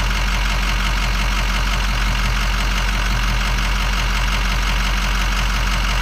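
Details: Diesel truck with VGT turbo at idle: loud uneven lope about one beat per second, missing; appears when lights are switched off or VGT changes, instrument cluster suspected faulty; cause unclear.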